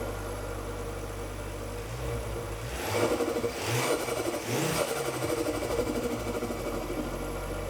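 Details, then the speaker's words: Ford Focus ST, first start after complete engine rebuild (bought with broken engine): engine catches, revs a couple of times, settles to steady even run with no knock or rattle; no power steering, smoke from spilled oil on block; running fine. "aside from no power steering, it's running fine. >> Yeah, >> we we didn't hear it run before starting this project cuz we bought it with a broken engine. So, it's nice to hear it run now."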